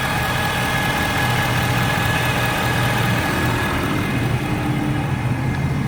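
A warm diesel idles with a thin, steady high whine held above the rumble; the source of the whine is not pinned down.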